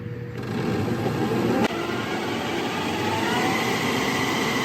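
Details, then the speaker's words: Harley-Davidson converted to electric with a Golden Motor BLDC motor on a makeshift mount, spinning backwards, belt not fully tensioned, rear axle not tightened. Steady electric whir with uneven chattering rattle: loose drive belt rattle. "Listen to that thing dance. Yeah, dude. And the belt isn't fully tensioned, and we also didn't tighten down the rear wheel axle."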